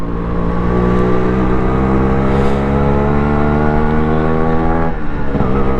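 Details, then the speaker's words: Restored Yamaha RXZ 5-speed two-stroke motorcycle on the road, throttle held steady without revving: a clean, even two-stroke drone with no knocks or rattles. It is running smooth and healthy. "ಎಂಥ soothing sound ಗುರುವೇ. ನೋಡಿ, ಸುಮ್ಮನೆ ಹಿಡ್ಕೊಂಡಿದ್ದೀನಿ, ನಾನೇನು rice ಮಾಡ್ತಾ ಇಲ್ಲ."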